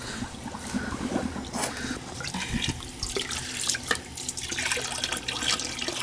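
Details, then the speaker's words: Gas boiler with no heat to 2nd floor zones, small PEX piping, suspected blocked flow check: irregular sputtering and gurgling water with spits of air at the drain hose; trapped air being purged from the zone, possibly glycol in the system. "yeah a lot of air in there let's see all the air let it run for a [Music] while"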